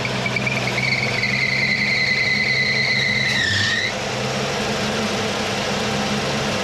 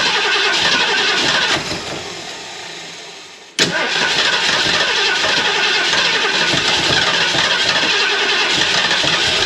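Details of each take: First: 1979 Mercury Capri with 351 Cleveland V8, distributor freed and retimed to about 10° initial (about 32° all in): steady idle under a thin high whistle that dips and fades out; idle stays even with no stumble or misfire. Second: 351 Cleveland V8 in a 1979 Mercury Capri, fuel poured in the carburetor bowl and pumped: regular cranking about three to four turns a second, then an uneven catch into a loud rev; flooded, hard to start, told to open the choke.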